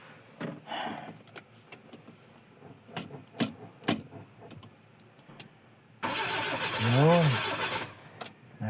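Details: Engine cranks about two seconds with steady starter noise but never catches or fires; battery read only four volts and the car had sat unused through rain; jump via parallel cable connection, throttle found dried of gas; starter also suspected.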